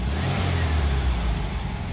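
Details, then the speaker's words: 1974 Karmann VW Beetle flat-four, heard from the rear after starting with no smoke: idles smooth, then revs cleanly with a strong, steady roar, even firing, no misses, knocks or rattles; healthy. "as you can hear the engine idles nice and smooth sounds great when it revs fired right up no smoke"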